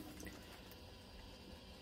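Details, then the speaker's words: Vaillant Ecotec Plus boiler, pressure dropped to zero after bleeding air from the radiators: filling loop valves opened, soft steady hiss of water flowing into the boiler with no knocking; pressure rising normally. "so as you can hear from the noise the water is being filled into the boiler to fill that Gap that was created um by the air in the radiator"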